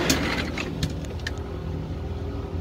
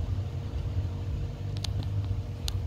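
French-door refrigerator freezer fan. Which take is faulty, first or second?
first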